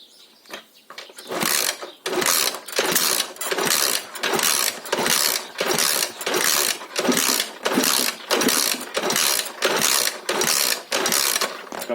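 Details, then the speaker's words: Alfa Lux 110cc moped, oil squirted into the cylinder, still no compression; owner concludes valves/head are at fault and plans to strip the head. Starter bursts about every 0.7 s spin light and even, no compression pulses. "Ні, друзі, компресії нема. Компресії в нас немає."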